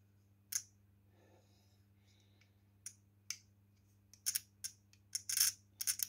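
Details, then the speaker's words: Type 3 engine carburettor overhaul, idle cutoff solenoid bench-tested on battery: sharp, distinct clicks over faint electrical hum each time the lead touches; solenoid pulling in and working. "entend qu'il déclenche. Hein. Voilà, donc lui je sais qu'il est bon."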